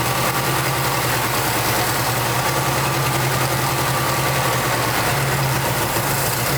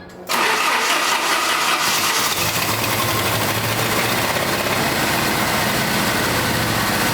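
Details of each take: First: 1989 Jeep Wrangler YJ 4x4, four-cylinder, manual, revived after 12–13 years sitting abandoned: steady, even idle hum with no misses, knocks or hunting, running on its own fuel injection; normal idle. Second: 1989 Jeep Wrangler YJ 4x4, 2.5L four-cylinder, fuel-injected, manual, sat 12–13 years: brief starter churn, then ragged unsteady idle; hard starting.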